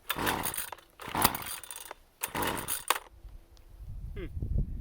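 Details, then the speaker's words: Husqvarna 128CD trimmer after installing a new ignition coil and resetting carburetor screws to initial positions: short ragged revving bursts that sag and stumble with sharp pops between them; backfiring, running worse than before. "There's a backfire."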